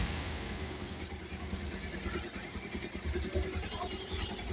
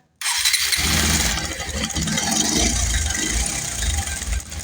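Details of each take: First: Bajaj Pulsar 150 BS6 single-cylinder after timing chain replacement for a bad engine noise: quiet idle at a slightly uneven pace, no clear rattle. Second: Bajaj Pulsar 150 BS6 motorcycle at start-up: fast uneven metallic rattle over the single-cylinder idle; likely worn timing chain, replaced with new chain.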